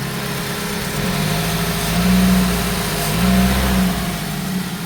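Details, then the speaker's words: Toyota Celica after an intake rebuild and fixing an airbox air leak that upset the MAF sensor; battery was long disconnected, hot weather, fuel trim still relearning: steady, even idle with two clean throttle blips; runs normally. "Battery was unplugged for a long time, and it's hot out. Still learning the fuel trim, so it's all right if it sound like that,"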